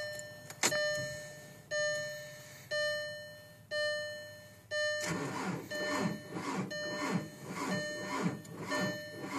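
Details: 2004 TDI diesel at 5°F: a few warning chimes, then starter churns engine in steady rhythm but it never catches; cold cranking no-start.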